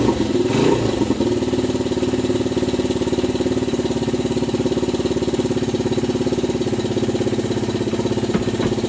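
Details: Honda XR/CRF 80/100 yard bike, first start after carburetor clean and rebuild: a quick rev settles into a steady, even single-cylinder idle with no misses or stumbles. Normal idle.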